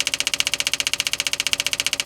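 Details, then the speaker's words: 1966 Impala SS parked over 10 years, trying to pull fuel from the tank via hose: starter cranks steadily about twelve beats a second but engine never fires; no fuel drawn, tank suspected empty. "you know it kind of leaves me wonder if maybe the gas tank is empty you think you would have got something by now"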